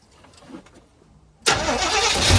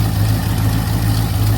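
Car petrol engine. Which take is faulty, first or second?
first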